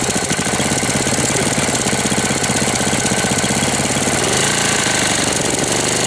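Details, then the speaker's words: 1998 Briggs & Stratton 60 (6 hp) Intek Edge restarted after long storage, oil changed, hoses and leaks fixed, not warm: dense rapid knocking that persists when revved; sounds about to seize despite oil at level, cause unconfirmed. "Bizarre le bruit qu'il fait. On dirait qu'il va serrer. Pourtant, il y a de l'huile hein dedans au niveau."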